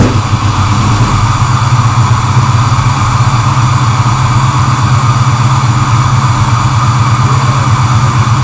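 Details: First start of rebuilt six-liter engine for the Chevelle, block magnafluxed, cleaned aftermarket oil pump; started first try, loud steady low idle with no misses or knocks, running cleanly.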